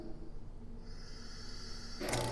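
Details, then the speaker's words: Homemade auto-cycling vacuum pump for vacuum bagging, built from a kit, first test. Near silence after cutoff at -17, then the motor kicks back on with a steady whir when vacuum is released to about -16. Normal cycling. "Turned off at around 17, negative 17. So that's pretty good. It runs nice and quiet. Now if I release that vacuum,"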